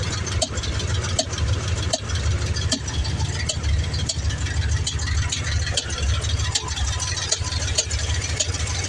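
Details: 1994 Ford F-150 302 EFI V8, desmogged, about 5k miles on a fresh rebuild, Lunati Voodoo cam, Pro Comp roller rockers, headers: steady idle with irregular sharp ticks or pops about every second, strongest from the air intake; owner suspects IACV, intake port seal or poor fuel.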